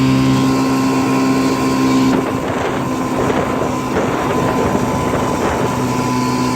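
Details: 1955 Johnson CD-12 5.5hp outboard built from mixed parts with eBay Hong Kong coils, first pond run on a boat under load: steady buzzy two-stroke drone over wind and water, no misfire; runs well, though the coils won't let it idle as low as OMC coils.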